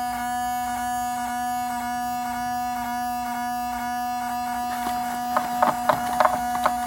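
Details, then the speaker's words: Mercedes 500E W124, driver's side headlight wiper motor with lights on: steady electric hum with light tick about three times a second, motor running and straining when it should be off; passenger side quiet, cause not yet investigated. "so that's like a bizarre situation here like I said I haven't looked into it yet what I can do is I can just unplug it obviously but why why is it making this noise"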